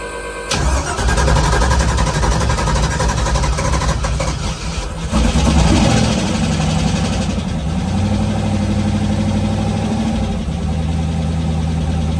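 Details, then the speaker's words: Twin-turbo LS V8 S10 on its first startup after a rebuild: it cranks and fires quickly, revs rise and fall, then it settles to an even idle with no knocks. Oil pressure was good, with no leaks; a healthy start. "that was the first startup on the new engine after the rebuild I am happy with the way everything went we had good oil pressure um didn't have any crazy sounds and nothing's leaking"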